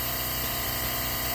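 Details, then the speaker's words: Boost leak test on a car under shop air pressure: steady, even hiss with no pulsing from the MPX throttle body return spring area, described as a common issue; owner thinks it won't matter in boost. "I'm sure y'all hear that leak is coming from the throttle body return spring area which is apparently a common issue with these MPX uh throttle body but"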